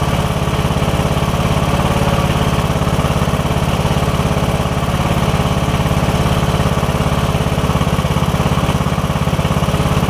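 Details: Briggs & Stratton OHV single on a riding mower, running after camshaft compression release diagnosis: even, steady single-cylinder thump with no misses or knocks, smooth healthy idle; normal running.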